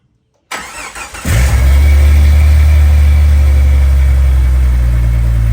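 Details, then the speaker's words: Jeep TJ 4.0 engine starting after intake and exhaust manifold gasket and exhaust manifold replacement: short crank, catches at once, steady even low idle with no ticking or exhaust leak puffing; hard starts and exhaust leak noise gone; normal start and idle. "there it is guys like I said it's not too hard of a job but you know kind of tedious so no more hard starts or god-awful exhaust leak noises"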